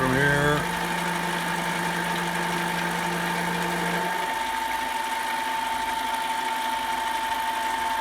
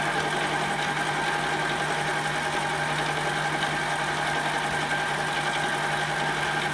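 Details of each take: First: Metal mini lathe turning after tightening the loose tool post, lubricated, RPM raised: steady cutting tone with a faint buzz about four times a second, then the cut stops; chatter reduced, slight chatter remains. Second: Metal mini lathe turning aluminum, about 30 thousandths to a shoulder, tool post would not tighten and no outboard support: steady high ringing tone over the cutting noise, heavy tool chatter.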